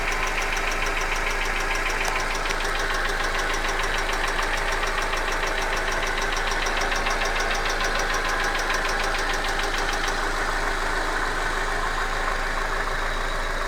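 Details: Hyundai Accent engine at idle: a sharp, regular ticking knock about three per second, clearly from inside the engine. Engine knock of unknown cause.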